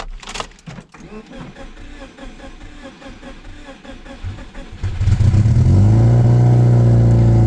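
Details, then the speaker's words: Subaru Legacy GT project car, first start with no exhaust fitted, after replacing the main fuse and priming the fuel lines: a few seconds of cranking and clatter, then it catches into a loud, steady, even idle. Normal start and idle. "Woo! There we go, boys. She's running."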